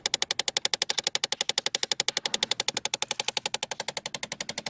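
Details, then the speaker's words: 2008 Chevy Impala, key on: rapid, very even plastic clicking, about ten a second, from the HVAC under the dash when moving the driver-side temperature control; blend door actuator with stripped gears skipping teeth. "all right so we are working on a 2008 Chevy Impala and it's got a really bad noise when you turn the key on coming from the HVAC system"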